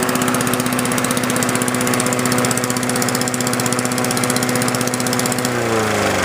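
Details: 1981 Honda HR17 push mower with a Honda flathead single-cylinder engine; the blade brake/clutch system is inoperative, but it still starts and runs after over 30 years. Steady, even pace with a crisp, regular exhaust beat, no misfires or surging; sounds healthy.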